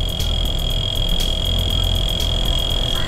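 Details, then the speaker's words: Dometic Waeco CRX50 12V compressor fridge freezer in VW T6 campervan, test-run before fitting drawing 3.2 amps, microphone near compressor: steady low hum with constant high whine, no knocking or rattle; compressor running normally. "you can hear that the compressor's running, so we know the fridge is working."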